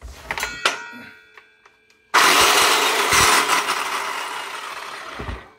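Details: 2002 Craftsman circular saw spins up to a harsh, rattly high whine with gritty roughness as it winds down. The worn motor bearing is possibly letting the armature rub. Bearing replacement planned. Worn bearing noise.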